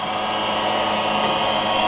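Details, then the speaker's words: Radio Shack TRS-80 Model 16 on attempted startup, 8-inch floppy inserted in drive; harsh steady rasping grind while the disk spins, no clean head clicks, as if eating the disk, cause unknown; grinding noise on disk insertion. "who that does not sound good ooh I don't know if it's supposed to sound like that"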